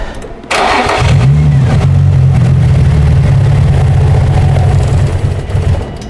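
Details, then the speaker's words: 2004 Infiniti G35x with used ECM installed and keys reprogrammed for immobilizer: cranks, catches, runs rough a few seconds then sags and dies; torn/cracked MAF sensor suspected as cause. "You programmed it. No, I mean, it should stay running. I don't know why. That's a MAF sensor."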